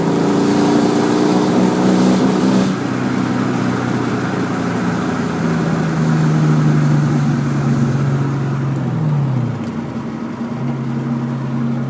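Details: 2001 Mustang GT V8 pulling up through the revs, then stumbling and breaking up around 4000 rpm under load before settling back. Happens only with under half a tank of fuel; cause unknown.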